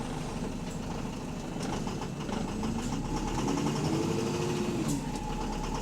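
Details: Diesel bus engine (AL HV48, route 335) idling with sharp, heavy knocks about three or four per second over the clatter; loud rod knock from a worn connecting-rod bearing.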